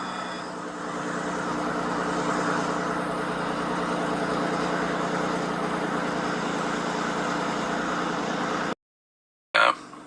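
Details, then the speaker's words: Ford 3.5L EcoBoost truck, cold morning start about 70°F outside, after installing a Master Lube pre-oiler and priming oil pressure before starting: engine catches and settles into a smooth, steady idle with no cold-start rattle; fixed, normal idle. "Started up without any rattle. Got oil pressure before I started. This is great."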